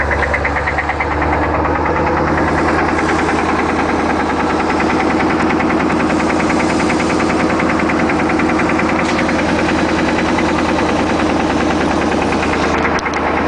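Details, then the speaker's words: Isuzu NPR gas 16 ft box truck, automatic: steady idle with a loose, uneven rapping over the engine beat at constant speed. It is a mechanical knock in the motor that needs repair. "one big problem the motor the motor has a knock in it and needs a repair"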